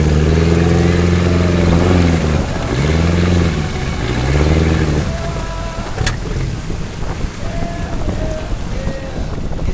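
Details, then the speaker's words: 1974 VIP tri-hull boat, Mercruiser 3.0, new Pertronix coil and module, hot engine; 780 rpm in gear then about 2,000–2,090 rpm the note swings in slow waves, surging worse than before; idles well; owner suspects fuel starvation rather than spark. "Here we go. 2,000. 2,090. Nope. Surging again. It's even worse than the last time we took it out."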